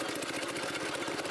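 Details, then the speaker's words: Small rented Home Depot trencher, single-cylinder engine, started on one pull, levers pushed forward toward maximum throttle: fast, even rattling drone with no misses. Normal running near full throttle. "So with it running, I push both of these levers forward and increase the throttle towards max."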